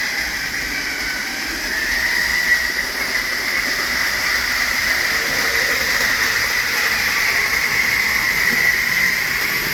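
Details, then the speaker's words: Tyco Grand Trunk Alco C430 model locomotive after cleaning and oiling the power torque drive, which ran rough and squeaked before: steady, even motor whir with light rail hum while lapping the track, no catches or grinding; drive runs smoothly. "So let's take a quick look at this Grand Trunk C430 running around the track here."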